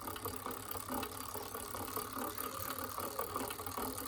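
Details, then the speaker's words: Shimano rear derailleur being re-adjusted via cable tension in half turns after deliberately overtightening: light, fast chain ticking and rattle while pedaling, still slightly out of adjustment, needing further fine tuning. "There we go. I'm still getting a little bit of noise, but I'll fine tune that with a little bit more."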